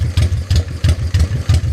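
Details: 1985 Honda Shadow 500 V-twin idling while its dual carbs are synced with an oil/vacuum gauge and the sync screw is adjusted: a lumpy, loping idle about three beats per second, one cylinder pulling harder. Carburettors out of sync.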